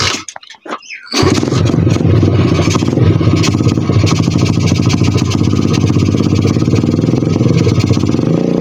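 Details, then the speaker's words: 125 cc pit bike single thumps loud and uneven with no settled idle, stalls when hand leaves throttle; owner suspects the carburettor. "Já vypnu prostě plyn, dám jakoby od plynu ruku pryč a on to chcípne."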